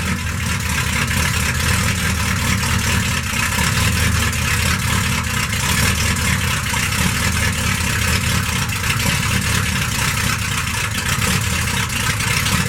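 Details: Stock 1991 Dodge D150, 318 TBI V8, with newly installed Hedman 79080 headers and custom exhaust with Dynomax bullet mufflers: deep, even V8 burble at steady idle, no knocks, ticks or exhaust leaks; healthy.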